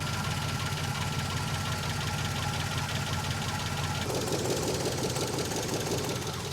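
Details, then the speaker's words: Van with a neglected 6.0L LQ4 V8 with a spun cam bearing, resting oil pressure in the red: loud, uneven ticking knock about three per second over a rough idle, sounding worse from underneath the driver door. "I bought this van with a spun cam bearing. Yes, this van, it currently runs and drives with a spun cam bearing before I start the thing so you could hear the carnage happening in this engine."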